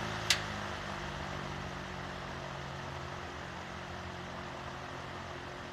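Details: Vintage Emerson box fan after restoration, reassembled and oiled, switched to low: one click, then a quiet, steady low hum with a soft airy rush and no rattle or scrape; runs smoothly on low.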